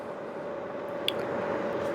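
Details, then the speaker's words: Classic 1970s vintage fan heater on heat high with the fan at full speed: steady rush of warm air with a faint constant hum, no rattle or scrape; heater runs smoothly and healthily. "Let's go to heat high, where the fan kicks up to full speed. That's pumping out a lot of warm air. That's a really nice heater."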